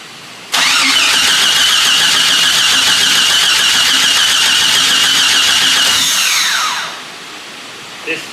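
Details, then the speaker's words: Jeep XJ starter cranks briskly for about six seconds with no fire and no fuel pump heard; fuel gauge and tach dropped and it smells rich. Owner suspects the crank sensor or the ignition switch; crank, no start. "The fuel hand and the tack went down, which means crank sensor usually. And it smells rich."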